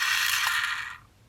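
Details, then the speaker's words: Rasping dry whirr for about a second as the rotary dial returns, still grating slightly, on a new-in-box 1982 Telecom Australia 891 (800 series) beige wall phone; owner suspects the run-on part needs loosening up or lubricating, not confirmed. "Yeah, she's not the happiest. And so, may need something lubricating in there. Yeah, that noise is there's something."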